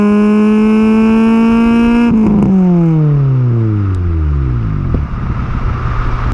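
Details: Honda K20A2 engine revved to 8,000 rpm through first to third gear after first start-up; high clean exhaust note held two seconds then falls smoothly, no knocks or misses, healthy. Possible O2 sensor fault or bad relay pending.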